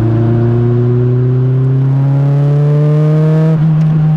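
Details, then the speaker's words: Renault R5 Turbo 2 after a full rebuild, final injection and ignition tuning done, driven in first and second gear under light throttle while running in: smooth, clean engine tone rising steadily, no knocks or rattles; normal engine note. "je sais pas si vous allez l'entendre la sonorité du moteur comme moi je peux l'entendre mais je peux vous assurer qu'il sonne mais vraiment comme je voulais qu'il sonne"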